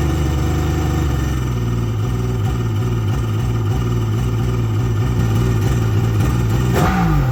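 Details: 2001 Kawasaki 1100 STX DI two-stroke jet ski after ECU repair, on cooling water: steady even drone with a clean rev blip, no knocks or misses; running well.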